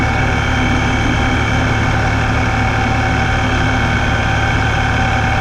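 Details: Vehicle with a Ripp supercharger: a loud, steady high-pitched whine over a smooth idle and at low-speed crawling, only when in gear. Owner suspects a bad supercharger bearing; cause not confirmed.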